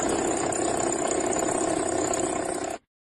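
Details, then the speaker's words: Vehicle alternator (generator) fault demonstration: harsh, steady rushing grind with a thin high hiss that holds constant with the engine running. "Es una falla del generador. El sonido anormal es así."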